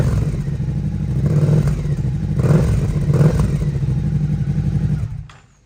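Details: Rebuilt Suzuki SV650 V-twin: deep loud thump, a few throttle blips, even firing, no rattles, then switched off; owner hears little difference versus dB killer fitted.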